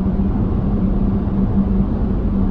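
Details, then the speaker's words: LFD Off Road roof crossbars mounted at the very front of the roof rails, at 60 mph on a stormy, windy day, heard from inside: steady low hum above heavy road and wind rumble; crossbar wind hum. "and it's uh it's actually really starting to hum right now uh it's stormy so uh it is windy outside itself but uh that's kind of how it sounds every now and then uh but right now it's very consistent actually"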